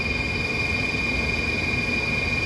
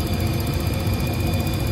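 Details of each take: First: Old rooftop HVAC heating unit after ignition spark control module replacement, burners just lit: steady high-pitched whine over a rough gritty rush while running, not heard earlier; component sounds unhealthy, cause unknown. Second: Rooftop HVAC heating unit with new intermittent spark ignition module, relit after 30-second timeout: steady low roar from lit burners with even fan hum, no puffing or rumble; burners operating normally.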